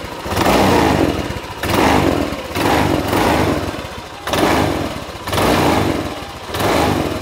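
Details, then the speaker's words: Honda Vario 150 scooter at 93,000 km, overdue for an oil change run on cooking oil mixed with a little Shell Rimula R4X, before the change: smooth revs rising and falling about once a second, no knocks or rattles; engine healthy, light pull. "Nah itu tadi Mbah suaranya masih halus tarikan masih enteng dan performa masih enak Mbah"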